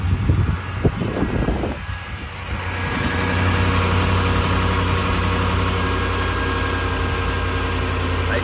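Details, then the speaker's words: Ford 5.4L 3V V8 after a timing job, cold start after sitting outside overnight at 39°F: cranks, catches and settles into a smooth, steady idle with no popping, misses or shaking as before. "smooth no more popping imagine that put our hand on the engine quick man that sounds good yeah you can see it's nice and smooth it's not shaking like it was yesterday"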